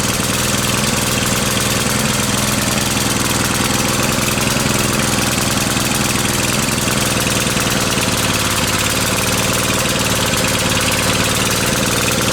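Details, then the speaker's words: Briggs and Stratton 550e pressure washer engine: loud, unsteady, labouring run as if choking on fuel; ran really rich even with air filter off, and with filter on not getting enough air. "it's like it's not getting enough air now so the fuel air mix is wrong clearly there uh it was running really rich even with the this off so it was getting more air to compensate for that"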